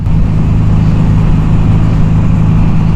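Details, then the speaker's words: 1982 Suzuki GS750T with aftermarket pipe, riding and cruising; deep steady exhaust drone with little crispness or pull; owner suspects lean running, jetting set from the book, may raise needle clips; flat, weak-pulling engine note. "sounds like it's running lean it rides really low it just doesn't run for"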